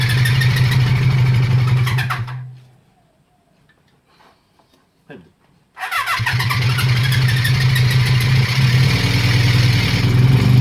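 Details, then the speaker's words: Honda CB350F (CB350 Four) restoration, first start after refuelling, carburettors untuned; fires, stumbles, stalls, then catches with a lumpy uneven beat; not running on all cylinders despite good timing, spark and fuel, cause unknown. "all right we're not running on all cylinders i don't think um this is quite confusing because i'm getting the timing for wonderful is perfect"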